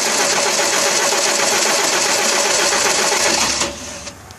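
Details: 1992 Audi 100 with 2.3 L five-cylinder AAR engine and K-Jetronic, after new fuel pump, spark plugs and fuel filter: long uneven crank that never catches cleanly, then drops off; hard start with misfire, injectors 1 and 2 appear to spray less than 3–5.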